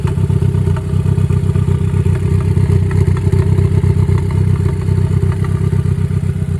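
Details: Ford Focus warming up after recently changed spark plugs and fuel injectors: a lumpy idle with an uneven low thump about four times a second. Misfire detected on cylinder three. Timing or the new parts suspected; cause unconfirmed.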